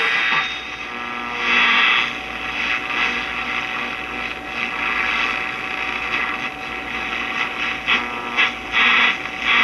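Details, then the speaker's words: 1951 Stromberg Carlson C1 tube clock radio after replacing the shorted tube: clean station audio with no hum underneath; set plays clearly, fault fixed. "oh yeah well that's a whole lot better right there without all that common"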